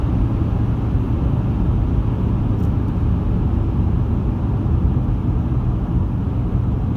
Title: Vibration noise when accelerating